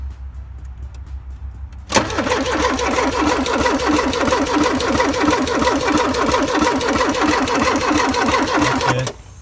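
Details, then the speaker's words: 1984 Porsche 944 with a replaced rusty fuel tank, injectors pulled from the rail but showing an injector pulse: an even, roughly three-per-second starter whirr for seven seconds without catching. Cranks, no start; the injectors are not spraying. "no absolutely nothing is happening here"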